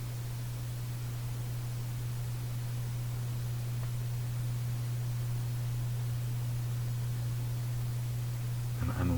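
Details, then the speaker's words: Canadian General Electric Model A55Z radio, no antenna, out of cabinet, after relocating a capacitor a previous repairer installed wrongly: steady low mains hum under faint hiss, strong at start then fading but still audible, swelling slightly at end. "is it is it worse it's going away strong at the start but it's kind of gone away but I still hear it"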